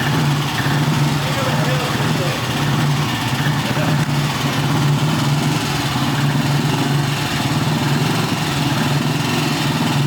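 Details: 1960s BSA 250 single-cylinder motorcycle, first startup after a late-1990s apartment restoration, in a parking garage: steady, even low thump holding a smooth idle with no knocks, rattles or misses; normal running.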